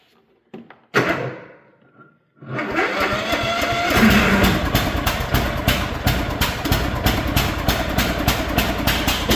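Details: Cub Cadet riding mower after carburetor replacement and fuel filter reinstalled correctly (wasn't starting before), started on choke before oil change: cranks, catches after a pause, then settles into a steady, even chug with no misses or surging; normal running.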